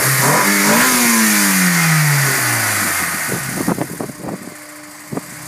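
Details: Warm engine: a rev falls away smoothly, then uneven sharp knocks and taps as it drops back toward idle; cause not identified. Engine noise when warm.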